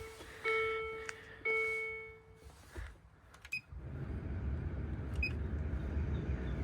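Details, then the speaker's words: Land Rover Discovery 2 blower motor after removal and cleaning of debris (previously noisy at high speed): after chimes the fan comes up to a smooth, even rush of air with no rattle; normal operation. "Truth oh yeah that is way better oh wow quite the easy simple fix"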